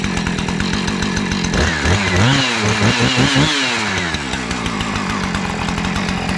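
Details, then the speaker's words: 2-stroke chainsaw after replacing a fuel line that had rotted in half, oiler still faulty: idles, rises and falls cleanly through throttle blips then holds steady buzz; normal running. "so I'm just wanting to put fuel in this make sure it won't leak hold fuel start it up make sure it runs and then we'll work on the oiler at another time"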